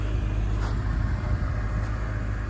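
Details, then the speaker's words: Acura RSX Type S with a swapped 50,000 K24 engine, first start after the swap: smooth, even low rumble with no knocks, ticks or misses; a healthy idle. "yeah that's what a 50 000 motor should sound like better than jdm california"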